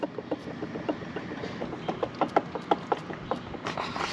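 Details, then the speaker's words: 1999 KTM dirtbike, engine off with stator cover removed, flywheel rocked by hand giving loose metallic clacks; excessive crankshaft play from worn crank bearings, causing power loss and oil burning; bottom-end rebuild planned. "Y'all hear this? You hear all that play? Crank bearing is done."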